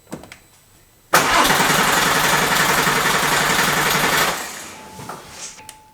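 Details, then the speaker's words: Porsche 911 996 Turbo cranks steadily about four turns a second for three seconds but won't start; fuel pressure gauge shows zero after fuel pump wiring and fuel line rework, owner suspects fuel lines connected wrong. "no fuel pressure all right so I'm guessing I have those lines wrong"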